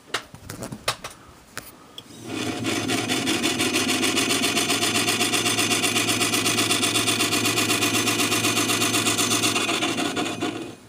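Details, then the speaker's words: Sony TC-252D stereo reel-to-reel tape deck: a dry, scraping rasp pulses about four times a second while running, with noise associated with the reel; the motor is suspected. "it actually sounds like the motor"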